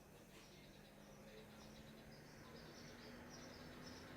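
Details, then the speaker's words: Profoto L600D daylight LED video light, cooling fan set to max (100%) instead of auto: faint steady whir with constant hum underneath, no ticking or rubbing; normal fan noise at max speed. "There you go, now you hear a fan. Alright, let me turn that fan to auto. As you see, I put it on 100."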